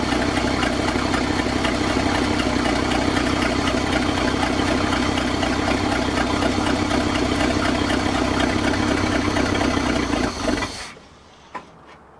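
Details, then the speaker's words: 1966 Ford F250 with 352 FE engine, parked since 1992, day two, float bowl full, started from an under-hood switch: fires and idles right away with an even, steady beat of about four per second until shut off; running normally. "day two of really trying to get this thing going i pretty much just idled right out of the gate"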